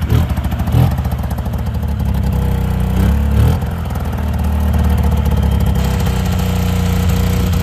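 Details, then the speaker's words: Yamaha V-Max 700 snowmobile being fired up; lumpy, uneven idle that stumbles and clatters as if running on one cylinder, likely a misfire, suspected due to plugs needing replacement. "sounds like a y a one cylinder there oh Bravo too"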